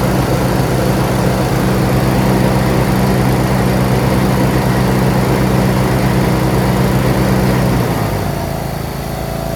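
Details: John Deere RX75 rear-engine riding mower, first start after ignition switch replacement and reassembly, choked, in neutral: smooth, even single-cylinder low thrum, no knocks or misses, then eases down; normal idle, running well.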